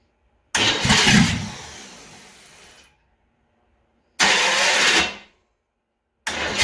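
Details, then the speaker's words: Small-block Chevy V8 on test run before install in a '57 Chevy, homemade ignition harness, primed, timing backed off slightly, possible smoker: short cranking bursts catch and run evenly, fires readily; normal running after first start. "all right sounds like she's going to be a good runner so we'll go ahead and carry on with the project here and get it installed in the car"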